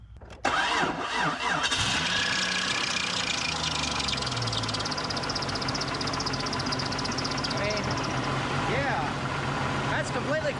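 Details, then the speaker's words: Barn-find 1998 Jeep Cherokee XJ with torque converter unbolted and bell housing cover removed so the engine spins free of the transmission: catches at once and idles smoothly with no knocks or clunks. Normal idle. "now the engine's good just don't know about the transmission"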